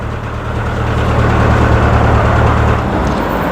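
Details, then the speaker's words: Rover engine that suddenly stopped and showed no compression, restarted: loud, uneven low throb at idle that never settles; owner suspects a holed piston or burnt valve. "well I've got it going but it wasn't uh sounding very happy"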